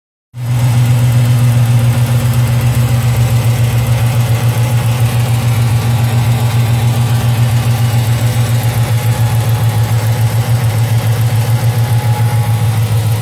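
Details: 2007 Chrysler 300 SRT8 6.1 Hemi (cold-air intake, 180° thermostat, catch can, long-tube headers, cats, SLP catback) at idle: faint, steady tick about three to four times a second over a deep V8. Owner suspects a lifter or exhaust leak; also misfires at high rpm (P0300). Fresh oil showed no metal debris.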